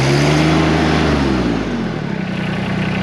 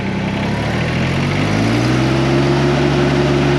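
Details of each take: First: LS Tractors MT122 diesel with LL1100 loader, already warm so no glow plugs needed, started with the throttle all the way on the rabbit by mistake: engine roars up high just after start, then pitch drops and steadies as throttle comes back. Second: LS Tractors MT122 diesel tractor, throttle turned up to about 2,000 RPM shown on the gauge, the stated minimum (normally 2,500 or more): climbs from idle to a loud, steady high-rev drone with no knocks or misses; normal working RPM.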